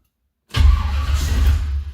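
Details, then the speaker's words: 1978 Ford Courier with new HEI ignition module, brake cleaner sprayed into the carb: silence, then a low rumble catching about 1.5 s before fading; ignition fires, timing in the ballpark, owner thinks probably slightly retarded. "Okay, it did fire. You heard that. So that was that brake clean firing. So I'm in the ballpark."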